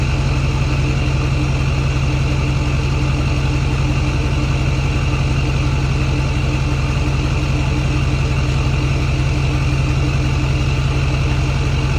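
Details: Ford F350 6.4 Powerstroke diesel, idle raised by foot; steady, even idle with a faint, clean turbo whistle; healthy.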